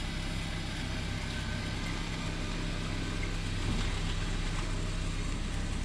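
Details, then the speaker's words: 2004 Honda Civic EM2 D17 first start after water pump and timing belt replacement, coolant not yet bled: quiet, even idle with a steady low drone and no ticking, knocking or belt noise; normal. "what's wrong nothing it started it's running"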